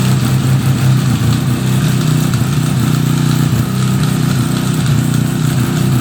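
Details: 1975 Suzuki RE5 after full restoration, engine just started: steady, low, droning idle with a faint gear hum under it; transmission noise of unknown cause, engine to be removed to inspect the transmission internals.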